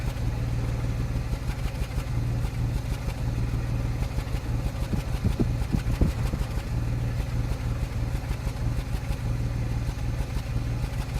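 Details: 2005 Land Rover Freelander V6 petrol idles low and steady, then stumbles with a few uneven knocks before settling: an odd intermittent misfire that persists despite new plugs, good coils and a new MAF sensor.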